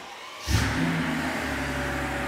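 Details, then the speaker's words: Mercedes CL65 AMG V12 being fixed for limp mode after about 3 s wide open throttle; after priming fuel and hearing the secondary fuel pump, it starts quickly and settles into smooth, steady idle, no leaks; normal start. "I just want to hear that secondary fuel pump kick on so we'll jump this oh yeah yeah it's running all right no leaks so far so"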